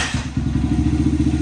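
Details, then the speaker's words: 2008 Honda 100cc dirt bike after air intake, emissions delete and full exhaust install: catches almost instantly into a crisp, even popping idle; healthy start, intake audibly louder but not obnoxious. "Still fires up, no problem. I can hear the intake right away on this one, on the 100. It's definitely louder, but not obnoxious."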